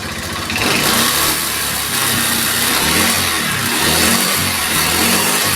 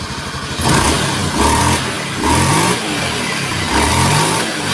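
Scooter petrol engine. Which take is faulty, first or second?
first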